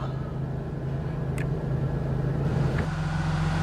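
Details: 1991 GM 3.8 Series I V6 after knock sensor replacement, started cold at 74°F exterior: steady, even low idle with no stumble, misfire or knock; healthy, no check engine light.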